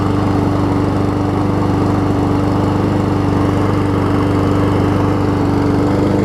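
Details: Troy-Bilt self-propelled mower with donor Honda engine replacing blown Briggs; surges a little on starting then catches, settling to smooth even steady drone; seemed low RPM, governor spring moved to second linkage hole, which helped.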